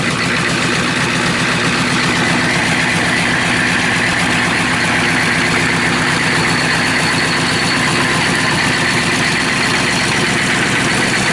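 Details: Rebuilt Chevy/GMC 6.5L turbo diesel V8 after glow plug start, oil cooler line looped back to the engine with an oil pressure gauge: even, steady diesel clatter at idle, consistent rhythm, no knocks or misses—healthy idle.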